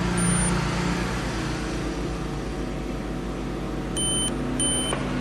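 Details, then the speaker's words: Laptop motherboard on bench power without battery or RAM, drawing 1.4 A: short high-pitched repeating beeps over a low hum, memory error beep code because RAM is removed. "Oh, beep beep beep beep, because the RAM have removed."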